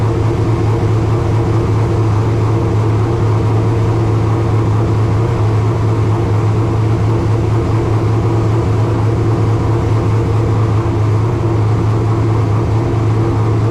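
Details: Racecar engine at its first fire after installation, idling high and steady with a constant low rumble that won't settle lower; exact rpm unknown because there is no tach, only oil pressure and water temperature gauges. High idle.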